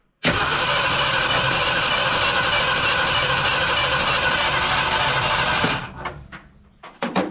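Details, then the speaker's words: 1972 Ford F100 FE 360 V8, cranked via remote starter switch at the solenoid with key off (no spark), before first start: even cranking about three beats a second, healthy, little top-end chatter; no coolant leak seen, many leaks down low. "sounds healthy not a lot of chatter up high on the motor"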